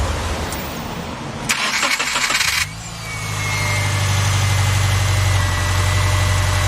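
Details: 2007 Subaru Forester after replacing the failed starter: brief crank, engine catches promptly and settles into a steady, even idle with no grinding or stumbling; healthy start.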